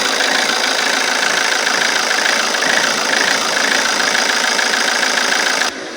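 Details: Alfa Romeo Giulietta 1.6 MultiJet2 diesel, before repair: idle hunts and stumbles irregularly, worse at times with puffs of black smoke; rough idle.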